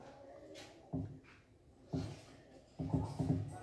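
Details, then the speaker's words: Panasonic washing machine showing errors H02 and U12, not started: irregular dull thuds about once a second, wash plate twitching; motor twitching from leaky triac driver. "cái tiếng lục cục này Thực chất là liên quan tới là cái động cơ nó bị động đậy thì chúng ta để ý vào cái mâm giặt chúng ta sẽ thấy có lúc cái mâm giặt nó động đậy đấy nó lục cục nó động đậy các bạn để ý rồi"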